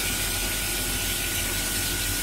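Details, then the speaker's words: Vaillant VCW 242E standard-efficiency combi boiler in hot water mode: tap demand moves the diverter and trips the microswitch, pump runs and burner fires; steady rushing burner and pump noise with a thin constant tone, no knocks or surging. Normal operation. "so that's how the hot water starts and how the boiler starts that moves and then what should happen then and just going to turn it on the pump runs the burn is fired up"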